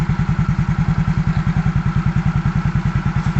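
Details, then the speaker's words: 2014 Yamaha Mio GT serviced for smoking, power loss and stalling: steady, even single-cylinder putter at a brisk idle with regular low thumps and no misses; idling normally. "dari segi suara ini suara yang dihasilkan tentunya ya ini masih sama dengan posisi Yamaha Mio GT ya tentunya yang memang suaranya seperti ini"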